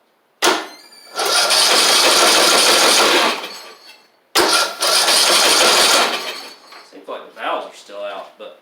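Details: Husqvarna YTH2042 rider's Briggs OHV single with new starter on a jump box and a weak battery under 3 years old: two long slow strained cranks that never catch; suspected broken compression release.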